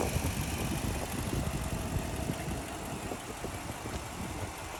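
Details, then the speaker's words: 2004 Toyota Land Cruiser with 2UZ V8, at 189,000, timing belt replaced at 150,000, recorded in the engine bay: low, steady idle with an even beat and no knocks or rattles. Healthy normal idle. "It does have a 2UZ engine, and like I said, you can hear everything is running well."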